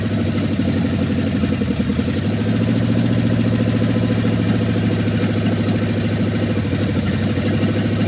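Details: 1969 Dodge W300 Power Wagon with swapped-in 440 big-block V8 on open pipes, first start after sitting, carburetor due for replacement: loud, lumpy idle with steady firing, no tapping, knocking or chirping; sounds healthy.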